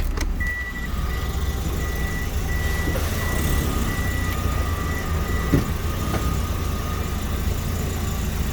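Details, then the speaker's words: Toyota Vitz NCP15 4WD, 2NZ-FE engine, automatic, 54,000 km, tested in Japan before dismantling: steady even idle with no knocks or misses, chime beeping; runs smoothly, no warning lights, automatic works. "Пробег виден, работает ровно, ничего лишнего не горит, автомат работает."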